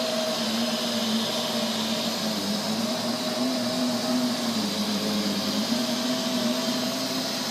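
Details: Neato robot vacuum, used under 30 times: steady rough whirr with low drone and higher whine, loud noises at random intervals; cause unknown.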